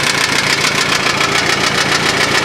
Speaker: yeah i know it sounds like a rod knock but it's tapping noise um like i said sometime today i'm going to uh pull off the hood and the gas tank and readjust those valves